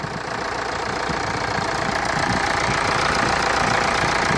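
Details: Hyundai Santa Fe 2.2 CRDi diesel after a no-start wiring problem was fixed. An even diesel clatter at a steady idle, about three beats a second, with no misses or stumbles; the engine sounds healthy.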